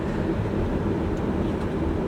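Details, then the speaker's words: 2003–2009 Chevrolet Kodiak/GMC Topkick heater blower stuck on high: loud steady fan roar with no speed change even with HVAC off and key out; usually caused by a faulty blower motor resistor (GM 12135104), fixed by replacing it. "you guys can probably hear just how loud this blower motor is"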